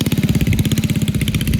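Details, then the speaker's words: 1971 Go Devil Model 104 mini bike with a Tecumseh HS40 single-cylinder engine, direct drive, no torque converter, being ridden after its revival: a quick, even putt-putt firing, steady and clean under riding load; healthy running. "that was awesome this thing is sweet it actually rides great you're carving out there"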